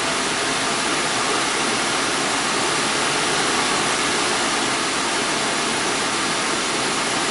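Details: 2001 Audi A4 Quattro 2.8 L V6, cold start after repairing a blown flexpipe: steady loud whooshing whir over the idle with no knocks, the secondary air injection pump running normally during warm-up.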